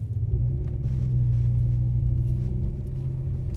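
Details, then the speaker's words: BMW M6 with S85 V10 swapped to a DCT gearbox, in development, road driving: low, steady engine rumble swelling evenly as the car pulls away, no jerks or clunks; smooth take-up. "so you can see that pull away there is as smooth as you need it to be to drive the car normally"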